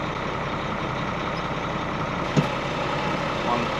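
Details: ERF truck with Eaton gearbox, idling after clutch adjustment to stop dragging: steady diesel idle and a single soft clunk as the gear goes in, no grinding; clutch now releases properly, much better than before.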